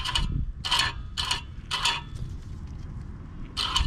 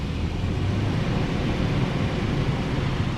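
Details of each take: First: 2008 4Runner (4th gen), rear hub turned by hand during rear caliper, rotor and pad replacement: sharp metallic ticks, one per stud, from the loose top of the parking brake spring touching the back of each stud. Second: 2008 4Runner (4th gen) on jack stands in drive after rear brake job and refitting the loose parking brake spring: steady low drivetrain hum, wheels turning with no ticking or scraping, also fine after parking brake use; fixed.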